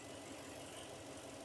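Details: 2002 Toyota Tundra 4.7L V8 with a flashing check-engine light: it idles unevenly with a recurring stumble in its low pulse, a dead miss on one cylinder, and runs horribly.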